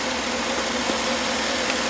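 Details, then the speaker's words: 2010 GMC Yukon XL 5.3 L V8 after replacing worn spark plugs with AC Delco OEM plugs: a smooth, steady, even idle with no stumbles, and the scanner shows no misfires on cylinders 1–8. Normal idle. "No misfires. All right. We had misfires before. Now, it's running well. So, needed plugs."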